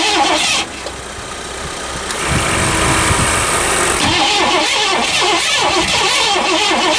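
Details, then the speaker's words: 1984 Lincoln Continental after sitting all winter, full of gas, new battery; starter cranks steadily about four turns a second but engine never catches; negative battery terminal was loose, tightened, then it started. "Alright, we're going to tighten this down because that was off for the winter, and then we'll give her another shot."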